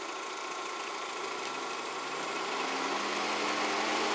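Steady, even whoosh of air that builds slightly and holds with no rattle or ticking; the cooling fan is running normally.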